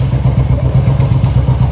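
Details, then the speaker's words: Royal Enfield Classic 350 after service, standing exhaust note: even deep single-cylinder thump at about six beats a second, steady and clean with no rattles; owner says it sounds very good, healthy. "இப்போ வண்டியோட exhaust note எப்படி இருக்கு? ரொம்ப நல்லா இருக்கு bro."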